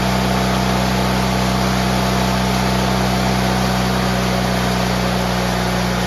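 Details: GT18 garden tractor twin, carburetor refitted and repairs done, air cleaner still off: steady even drone with a low hum and no misses; much better than before, when it flooded and chuffed smoke past half throttle once warm.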